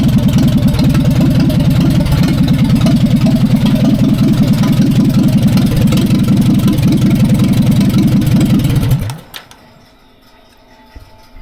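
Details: 1945/46 Allis Chalmers Model B tractor, magneto ignition, first run after about 20 years parked in a barn, cylinders oiled before starting: steady, even chuffing at fast idle with no misses or knocks until shut-off.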